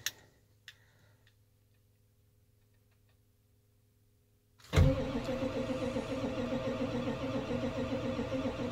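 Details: 1990s Ford 7.3 Powerstroke diesel truck, 222,000 miles, low compression on a couple of cylinders (suspected dusting), a glow plug or two suspected bad, sat unplugged about a week at 8°F: after a quiet pause the starter churns extended with no catch; cranking, not firing.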